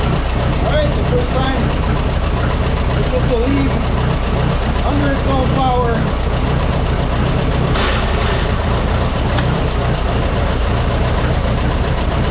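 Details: Rebuilt Minneapolis Moline 335 tractor engine on its first drive after restoration: low, uneven, stumbling beat rather than a clean idle. Owner says it isn't running right and needs tuning, maybe timing; warm tappet gaps were readjusted.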